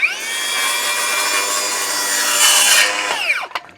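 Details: Milwaukee M18 Fuel circular saw (2834-20) with stock Milwaukee blade cutting a 2x6: strong, steady high-pitched whine holding speed through the board without dropping, then clean spin-down; normal cutting under load with plenty of power.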